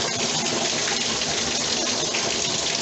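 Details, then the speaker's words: Tub tap after the leaking Bradford White Defender water heater was replaced and the water turned back on: strong, steady gushing hiss as water shoots through, no sputtering or surging, full normal flow. "Oh wow. Y'all see the water? It's shooting through"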